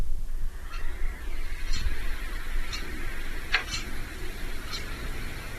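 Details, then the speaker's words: Gree air conditioner indoor unit, repaired seven times without fix: quiet low hum with one sharp loud creak and fainter ticks, occurring at random at night; cause unclear. "它不间断，定不准什么时候响一下，嘎，我有视频。"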